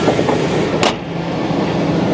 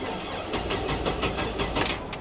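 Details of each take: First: 1999 GMC Sierra with 5.3 Vortec V8, slightly leaking valve covers: even, smooth idle with a steady low rumble and no knocks or misses; engine runs healthy. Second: 1999 GMC Sierra with 175k miles at auction, fuel pump audible: starter cranks in uneven pulses, some strokes louder than others, and the engine never fires; crank no start, uneven compression suspected.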